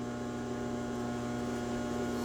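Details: Phase converter running as background power in a shop with a Delta 12 in 33-892 radial arm saw. A steady, unwavering electrical hum with constant pitch and no rattles or surging; normal running hum.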